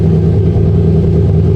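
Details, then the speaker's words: Porsche Cayenne GTS, abandoned project car, first start: very loud, deep, uneven idle with a lumpy, stumbling beat; owner suspects heavy misfiring, cause unknown. "That didn't sound that good in the end. I turned it off, so it didn't die. But still, it felt like a lot of misfiring."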